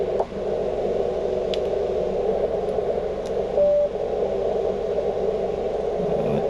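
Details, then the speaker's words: HF radio on a van with a 17 ft whip near an inverter generator fitted with seven ferrite beads: quiet until the AC unit kicks on, then a steady rushing hiss and buzzy hum of generator interference rises. "I put on seven, all the ones that I have, which is nice and quiet now with the cord hooked up, but once I kick on uh this uh AC unit, it really picks up."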